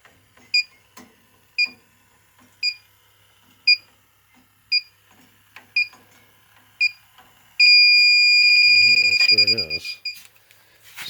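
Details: Inficon D-TEK Select detector on the coil of an older R-410A air conditioner at 73 PSI. Steady high beeps about once a second, then a continuous shrill alarm as it picks up refrigerant leaking at the coil; a new coil will be quoted.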